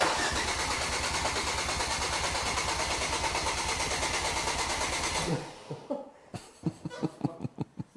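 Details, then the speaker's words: Project Ford Focus RS: steady starter cranking at about three turns a second that never catches; crank-no-start was a blown injector rail fuse, and it ran after replacing it. "But in reality, all that was the injector rail fuse. So we replaced that, away it went."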